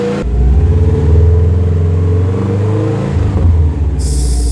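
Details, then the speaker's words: 03 Subaru WRX wagon, 236,000 miles, freshly rebuilt bottom end and milled heads, after installing Invidia downpipe and HKS full exhaust (previously no exhaust): deep smooth note through two clean revs, no rattles or drone, far quieter than before, normal. "So we put on the exhaust, bolted everything up. It sounds pretty nice. It definitely doesn't sound hellishly loud like it did before."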